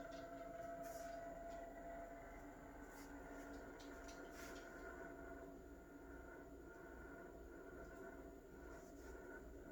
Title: Refrigerator Rattling Noise